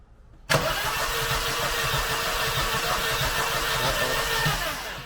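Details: Mercedes 190E 2.3 16v Cosworth Evo: engine catches and runs with an uneven, lumpy beat, one cylinder missing; low compression in a cylinder (4 mentioned), WD40 test in #1, suspected rings; engine may need opening, with a head noise worse at rear.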